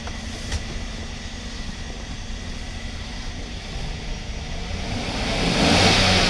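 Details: GMC Sierra that had a misfire, running with all readings zero: engine revs up smoothly with no stumble or skipped beats, an even rising roar; running clean on all cylinders.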